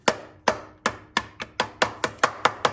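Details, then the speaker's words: Ten sharp hammer taps on a restoration project's rehung muffler, which had dragged in the dirt, each die off fast as a dead, solid thud instead of a ring. It sounds packed with cement; later found scuzzy and fouled from running super rich. "sounds like there's cement in there."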